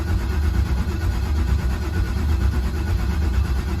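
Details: LS-swapped Chevy C10 cranking with fuel pump unplugged to build oil pressure before first start; steady low starter chugging about one beat per second, no firing; engine cranking without starting.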